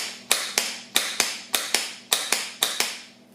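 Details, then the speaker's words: Starter from a 1996 Dodge Caravan, bench test powering the small solenoid post: crisp paired clicks as gear pops out and back, no motor spin; solenoid good (later fault traced to a grounding issue in the van). "The gear popped out, but no, you got no spinning. Pops right out."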